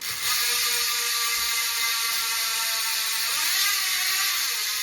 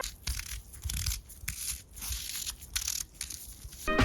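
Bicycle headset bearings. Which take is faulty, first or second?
second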